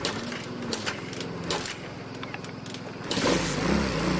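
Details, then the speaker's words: Yamaha Jupiter MX single-cylinder after carburettor, exhaust, spark plug and oil reinstalled for a smoking fix: first start catches and settles into a quick, even idle while checking oil circulation; running normally. "Nah, sudah hidup, sambil kita cek olinya naik apa enggak."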